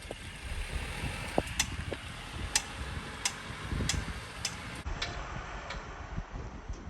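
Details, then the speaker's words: 2017 Mercedes-Benz W205 C300, under a year owned, driving forward at night: irregular sharp knocks, one or two a second, from the rear right passenger side, quieter when reversing; owner suspects ball joint or other suspension component, rear suspension knock. "So you hear that? There's some knocking sound. That is coming from the rear."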